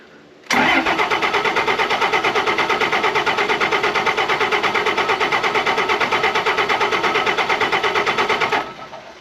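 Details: 2005 Ram with 5.9 Cummins diesel, unused for a couple of years, after new fuel filters and water separator were pre-filled: starter cranks evenly about eight seconds at roughly three pulses a second without catching; crank no start, fuel delivery suspected, not confirmed.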